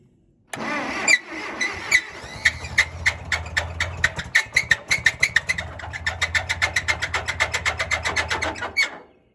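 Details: Massey Ferguson 50 tractor, Continental Z134 engine with heavy blow-by, after refitting fan belt: fast sharp ticking knock over idle; owner feared blown engine, but noise appeared when belt tightened and water pump suspected.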